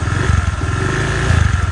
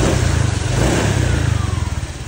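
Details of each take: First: Honda Vario 125 FI that suddenly stalled and wouldn't electric-start, run after forgetting oil changes, kick-started: lumpy, rough idle with heavy white exhaust smoke; scored piston burning engine oil. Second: Honda Vario 125 FI scooter after piston, gasket, oil and radiator coolant replacement (had seized, run rough and smoked white after oil neglect): brief rev then smooth, steady normal idle with no knocks, oil level confirmed.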